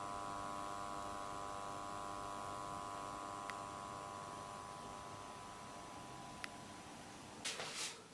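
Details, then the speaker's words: Hi-fi amplifier/receiver power transformer: steady mains buzz with bright edge, amplified when the top casing is fitted as the loose casing resonates and rattles; repaired with resin. Transformer buzz from loose casing. "okay as you can hear by that clip it is buzzing uh especially when you start putting the top on that it just kind of amplifies uh the buzz a little bit more with the casing on"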